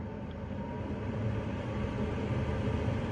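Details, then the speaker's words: Autosleeper Pollensa motorhome gas/mains heater, fan control turned up: steady airy rush with low rumble that swells as the blower speeds up; normal high-speed fan operation. "can probably hear that the fan goes a little bit crazy and starts blowing a lot faster."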